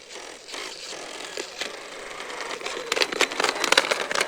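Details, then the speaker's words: Traxxas X-Maxx with eBay belt and pulley drive conversion, turning slowly: irregular dry ticks and scrapes that get busier, a catching point in the belt drive; owner suspects loose grub screws. "i go really slow like look at that that doesn't sound good at all it's like catching there's like a catching point so i don't know what's going on there"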